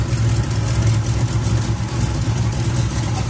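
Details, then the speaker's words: 1980 Chevy K10 V8 with Quadrajet carburetor, cold start: deep rumble with an uneven, slightly loping rough idle; owner suspects the choke or fast idle didn't come on properly and that it's running a little rich. "so that sounds a lot better she's just cold right now and i guess fast eyeball didn't come on like it was supposed to"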